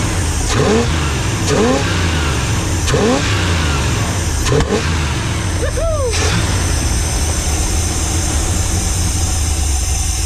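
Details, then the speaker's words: Heavy engine on a two-barrel carburetor, blipped then idling after flooding out: heavy, uneven, loping, choppy idle that sounds like it has a cam. Running rich or flooding is suspected, not confirmed. "Sounds it's it's following out so bad. It sounds like it's got a cam."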